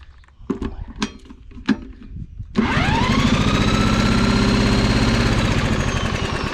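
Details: Fairly new Troy-Bilt mower that won't start, spark confirmed, valves suspected: a few taps, then a steady whir as the engine spins over evenly with no firing; cranks but won't catch.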